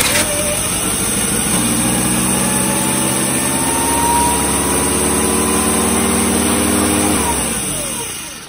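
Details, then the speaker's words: 1986 Chevy S10 Blazer 2.5L, just got running: engine catches, idle climbs and hangs high then winds down, runaway idle persisting while vacuum lines are traced; TPS, MAP sensor and IAC also suspected. "so she still has to run away idle trying to trace all the vacuum lines down"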